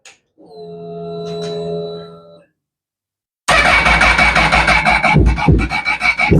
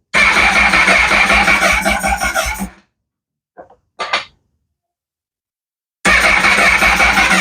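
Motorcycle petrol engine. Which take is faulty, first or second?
second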